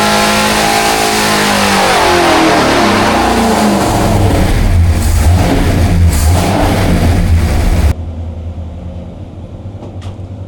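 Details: 426 Hemi rebuilt after a holed piston, on the dyno with timing at 32°, pulled to 6500 RPM: hard clean rev to a high-pitched roar then cut off, no ticking or clatter; healthy at high rpm.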